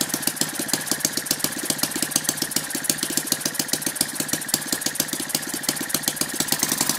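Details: Lynx 15 engine on two-stroke mixture, after refitting the fuel pickup tube that had fallen off in the tank so the carburetor was sucking air. Compression is now higher and it starts easily, with crisp, rapid, even firing; normal running.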